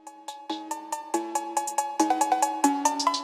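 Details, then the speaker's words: BMW E46 325xi M54, EWS3 module on bench being written with original VIN file: quick bursts of chirping beeps at two or three pitches, about two per second, with good connection; normal programming chirps. "all right so we have a good connection you can hear this one's chirping"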